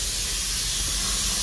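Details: Ford 6.0L diesel (2004), engine off during a high-pressure oil system air leak test: steady hard hiss of shop air through the open IPR valve into the crankcase, no gurgling from the turbo oil drain.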